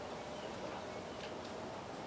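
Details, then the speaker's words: Sanyo M9994K radio cassette player, tape mode, play pressed: thin steady motor whine with faint tick and no transport sounds; motor runs but the reels don't turn in play or rewind. "I can hear the motor running, but there's no motion there, so hit play. That's not turning."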